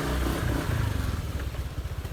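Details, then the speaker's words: Honda Vario 125 scooter, previously hard cold starting and stumbling until warm, after replacing fuel pump and filter and 2.5-turn adjustment: engine picks up cleanly and responsively, even steady beat, normal fuel pressure; normal revving. "filternya, ini langsung responsif teman-teman ya, karena bahan bakarnya itu tekanannya normal ya, dan ini masih baru jadi masih bagus ya."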